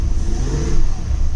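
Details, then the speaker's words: 2000 Jeep Grand Cherokee 4.7L V8 after new injectors and spark plugs, with a vacuum leak still open at the intake: deep, uneven rumble that stumbles as revs climb. It trembles badly, white smoke was seen, and the problem is not fixed. "oh it's trembling like crazy oh crap it is not happy it is not happy still"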